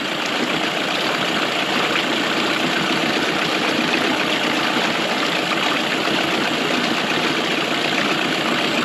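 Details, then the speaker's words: 1999 Mercury 9.9–15 hp outboard after carb rebuild, idling steadily with mixture screw set between 1¼ and 1½ turns out from seated; runs fairly cleanly, slightly rougher at 1¼ turns. "doesn't run too bad right there"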